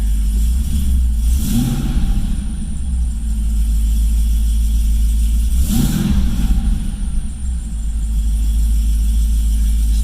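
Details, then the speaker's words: Cadillac CTS-V V8 after fitting new MSD plug wires on cylinders 5 and 7 (cylinder 7 had a misfire code): deep steady idle rumble with two blips, smooth, no stumble or misfire; owner believes it's fixed. "Sounds good, feels good, doesn't feel like misfiring at all."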